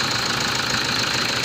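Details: Diesel Toyota Fortuner that stalled on the highway from running out of fuel, running after priming the fuel system; weak battery, faulty starter and dirty MAF sensor and injectors noted. Steady, even diesel clatter at idle with no misses or stumbles, now running properly.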